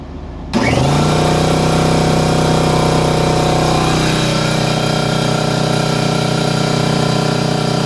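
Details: Air compressor started on a 12V 4000W pure sine wave inverter charger, peak start draw spiking to about 70 amps: motor kicks in with a brief surge, then settles into a steady, even hum; healthy start.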